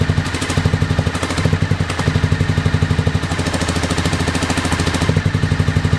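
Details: 2001 Honda VFR Interceptor V4 after nearly a decade in a barn, old fuel, FI light on; pipe heat test suggests only cylinder 3 fires; mouse nests suspected, unconfirmed. Lumpy hollow choppy exhaust about four beats a second: engine misfire.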